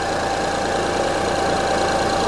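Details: 2005 Honda Odyssey idling with an uneven, stumbling beat under the steady hum; cylinder 3 misfire. Secondary waveform showed the cylinder 3 ignition coil bad; one coil and six spark plugs recommended.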